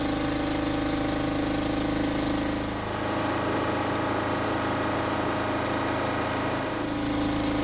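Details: 1970s Insley H800 excavator's Detroit diesel, freed from seizure after 25+ years sitting, running: steady, even clatter with firm low drone, no misses or knocks. Normal running.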